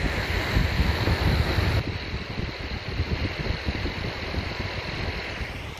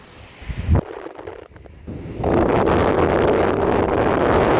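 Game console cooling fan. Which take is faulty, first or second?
first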